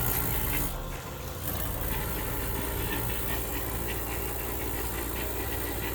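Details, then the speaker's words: Yellow Jacket Bullet two-stage vacuum pump, slightly wet, evacuating a leak-checked 3-phase compressor system outdoors in the rain: a steady low drone with an even hiss over rain patter, its note changing as it pulls down, not yet below zero; running normally. "put it on the pump pump got a little bit wet bullet two-stage vacuum pump yellow jacket here changing sounds"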